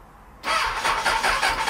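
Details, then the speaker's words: Suzuki Bandit 600 after carb and fuel tank cleaning, first start attempt: uneven pulsing chug about five beats a second then cuts out; battery sounds weak, followed by electrical failure. "yeah battery don't sound too good right that's cut out"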